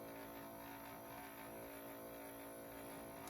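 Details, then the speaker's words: 1960s Westinghouse reel-to-reel, after spindle rim tires were lathe-shaved flat so the drive motor contacts the full surface, on play: only a faint steady hum, almost silent, no clunking; normal quiet tape transport. "oh wow almost completely silent no clunking"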